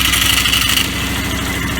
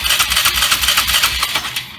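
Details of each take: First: Polaris small single-cylinder engine that lost spark and died at idle now settles into a steady, even idle with spark after the ETC lever was adjusted to 1/16 to 1/8 inch of free movement. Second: Polaris small engine cranked by the starter with an even rhythm of about eight pulses a second but never firing; the inline spark checker shows no spark because the contacts are touching.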